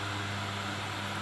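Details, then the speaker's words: Fan that had been howling and stopping by itself, after the fix, running at speed 3: even, steady hum and airflow hiss with no howl or rubbing; motor now runs quietly and normally. "แค่ฟิวมีเสียงเงียบเลยครับไม่มีหอนไม่มีอะไรละเสียงหอนก็หายไปแล้วครับแล้วก็ทำงานปกติ"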